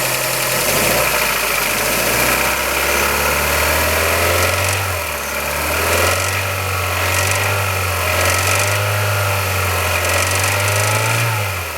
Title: Kia Ceed 1.6L G4FC engine rattle noise cold